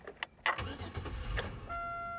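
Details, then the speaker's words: 2001 Buick Century after parts cleaned and codes cleared, earlier evap leak code: engine stumbles through a few uneven firings and dies within a second of lifting off the throttle, then a chime sounds. It won't idle without gas pedal. Cause not confirmed. "died again so basically unless your foot is on the gas pedal it just shuts off now this is good because it tells me something"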